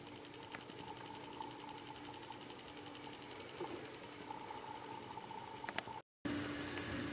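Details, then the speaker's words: 2.5A12-EX pulse charger rejuvenating a 12V starter battery from a 1970s Datsun drained to about 2V, resting 11.92V, pushing toward 16V due to sulfation: fast even capacitor ticking with faint steady buzz; normal pulse charging. "this is going to push up about 16 right up no problems and this thing is going to last for years you can hear it hammering"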